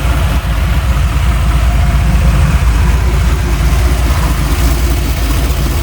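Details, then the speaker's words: Chevy C20 V8 with turbo, running with only one spark plug installed: uneven loping idle with a small puffing tick from the open plug hole, a misfire from missing plugs. "there's one plug in this thing it just ain't very happy you can probably hear it in the in the video she's kind of got a little Miss to it"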